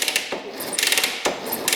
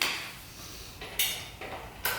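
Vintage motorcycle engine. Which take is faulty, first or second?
second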